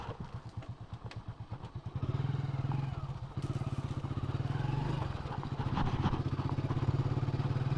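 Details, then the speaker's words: Honda HF Deluxe on a test ride after its rear half-axle bearing was replaced: an even low engine beat with no grinding from the rear wheel. The noise is fixed. "ആ കരയരപ്പ് sound ഇല്ല കേട്ടോ. അടിപൊളി."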